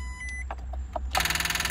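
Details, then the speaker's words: 53-plate MG TF, non-runner with catalytic converter missing, on connecting battery: a few thin beeps then a harsh buzzing pulse about sixteen a second, alarm going off; battery judged not good enough. "on there you go oh that's strange [Music] stop it stop that noise stop that noise"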